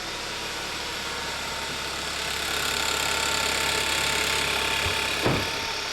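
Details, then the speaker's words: 2011–2015 Kia Optima 2.4L GDI just after a valve cover gasket replacement: fast, fairly regular ticking of about four per second over a steady idle, likely from the top end. The ticking was not present before the job. "my personal opinion is i hear a loud ticking noise and i didn't hear that before we did the valve cover"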